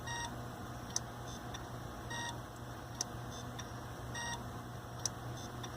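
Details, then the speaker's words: Roughly seven-year-old Hitachi hard drive in an mdraid RAID1 array failing during a drive replacement; sharp clicks and chirps about every two seconds over a steady hum; suspected head crash or failing media. "Which, this to me sounds like a head crash or failing media or something."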